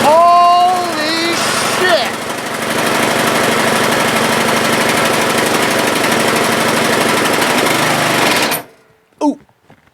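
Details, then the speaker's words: Craftsman LT1000 lawn tractor, Briggs 16 hp, deck off, on choke, first crank after battery install: cranks, catches and runs at a steady rapid chatter for several seconds, then cuts out dead at once; it had no oil, which is why it stopped. "did you guys saw that it was running and then it just stopped like instantly oh that's no good"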